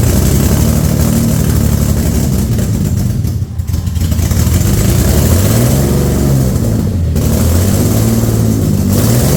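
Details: Infiniti G35 V6, freshly rebuilt engine with ported intake and plenum, first start, radiator not connected: revs sound uneven, hunting and stumbling between blips; runs rough with no engine light, owner suspects a massive vacuum leak.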